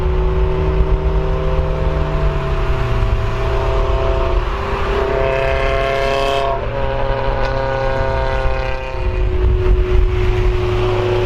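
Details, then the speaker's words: Honda CRX with eBay Spec-D catback exhaust, before Vibrant muffler and resonator fitted: loud, raspy, boomy note rising and falling with revs, harsh crackle on top; muffler appears to have no packing inside. "Thing sounds like booty."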